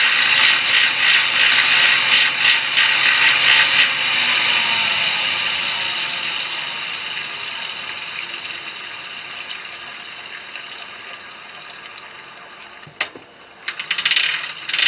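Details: Fixed-gear bike drivetrain: fast, even ratcheting clatter of about three clicks a second, then fading, as the drivetrain slips; owner suspects a worn fixed cog needing replacement, unconfirmed.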